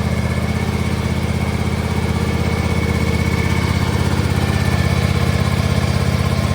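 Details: John Deere X590 mower after replacing the engine-to-transmission drive belt: steady single-cylinder thump at about two beats a second, smooth exhaust note, earlier ticking gone; normal running.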